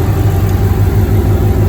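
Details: 2007 Mustang GT with Coyote V8 swap, first start, no control pack, about 104°F ambient: steady, smooth deep idle with no misses while the A/C compressor is engaged and blowing cold as before the swap; normal idle under A/C load.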